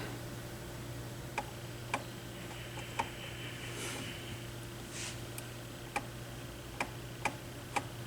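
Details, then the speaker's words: Dual 606 turntable during service, lifting the tonearm: sharp, uneven ticks every second or so over a slight low hum, as the tonearm catches on its elevator lift peg with resistance. "Oh, that's just hitting the... There was resistance up here. It's the tone arm elevator, the little peg that this sits on."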